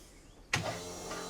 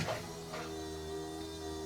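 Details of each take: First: 1969 Chevrolet C-10 restomod, first start, running on lawnmower gas; electric fuel pump whirs then holds a thin, steady, unloaded hum running dry until it primes and builds fuel pressure. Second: 1969 Chevrolet C-10 restomod V8 first start after new engine wiring harness and plugging in spark plug wires: starter spins, engine catches with deep rumble, revs briefly and runs about half a second before dying; first fire.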